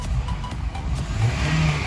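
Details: Honda CR-V with VSA, brake and check engine lights, possibly from a misfire linked to the VTEC solenoid, after clearing codes: engine picks up cleanly on each blip with no stumble or miss.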